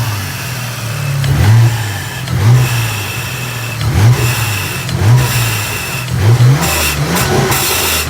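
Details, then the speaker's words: VR4 being tuned, running kind of funny, intake clamps not yet tightened: revs rise and fall in repeated blips, then a sharp hissing pop at high revs as boost escapes and the intake pipe blows off. "That sounds so amazing. Oh, blew off the pipe. Okay, that was fun. You guys saw that the intake thing just pop off."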